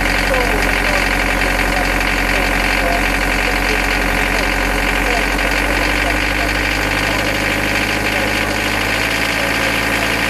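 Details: Nanni marine diesel under throttle: hard uneven knock about three beats a second through the clatter; oil change found nothing, cured by refurbishing all injectors and adjusting slightly-out valve clearances. Diesel knock from worn injectors and valve clearances.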